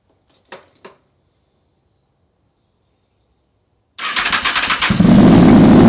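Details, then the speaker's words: Honda VFR/CBR hybrid V4 with custom LexTek exhaust, first start after long storage; starter spins briefly, catches and settles into an even, steady idle with a little smoke clearing from the pipes; sounds healthy. "right, guys, I am so stoked that this thing runs now."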